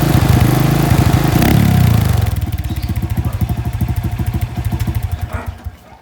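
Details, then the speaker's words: Honda Wave 125 single-cylinder engine running with heavy, uneven knocking about three per second, fading as it slows; block and piston damaged by oil starvation. Noise kept returning after carb, valve and timing chain adjustment; mechanic found no oil in engine. "Pero bumabalik at bumabalik pa rin yung ingay eh. Chinek naman ng mekaniko yung oil kung may laman ba. And surprisingly, wala."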